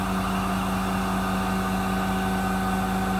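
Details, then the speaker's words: MultiCam 3-204 CNC router's 10HP MultiCam Turbo Vac positive displacement pump running on a 5x10 vacuum table; steady low even hum; suction good, holding the piece despite the whole table leaking. "we're gonna turn the vacuum pump on suction's good even with the whole table leaking still holds this piece with no problem"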